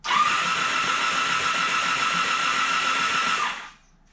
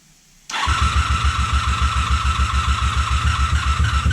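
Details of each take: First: 1987 Honda Super Magna that sat about 10 years in a field, with a new battery, plugs out and lubricant sprayed in the cylinders: an even, steady starter whirr with no stutter. It turns over freely and is not seized. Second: 1987 Honda Super Magna, sat in a field about 10 years, choke broken, carbs fed by pressurized fuel: catches after half a second into lumpy, uneven chuffing at about three to four beats a second. Misfire, not firing on all cylinders.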